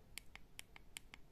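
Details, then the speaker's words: Nintendo Switch Joy-Con after joystick replacement and reassembly: about seven crisp, sharp, consistent clicks in 1.5 seconds, the click that had been missing before. Normal joystick click; owner hopes the drift is also fixed. "entend le clic qu'on n'en avait plus auparavant voilà et puis on espère que ça aussi résolu le problème du drift"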